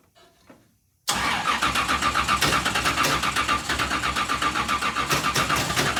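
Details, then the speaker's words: Richard Petty race car, first start in years after new fuel cell install, carburetor primed: steady cranking about four turns a second with no firing; crank no start, not picking up fuel. "okay well it's not picking up fuel let's try one more time"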